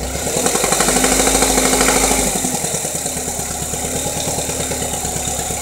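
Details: 2.2 Ecotec engine after replacing cam phasers, timing chain guides, tensioner and cam actuator solenoid: steady sharp ticking knock about three per second locked to engine speed at idle; cause unknown.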